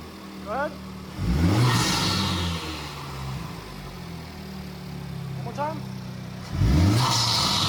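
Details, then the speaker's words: 2025 Honda Civic Type R (FL5), first startup after installing a PRL intake, no check engine light: several sharp revs climb and drop back to a steady idle with no stumble or misfire; healthy revving. "All right, boys, there she goes. No check engine light. We're good."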